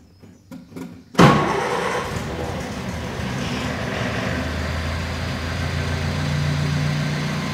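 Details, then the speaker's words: 1950 Land Rover Series 1 80-inch, rebuilt: live cold start on choke, fuel pump ticking; short crank, catches straight away and settles to a steady even idle, healthy cold start. "so in the engine certainly getting warm so you can hear the fuel pump ticking a little bit right a bit of choke"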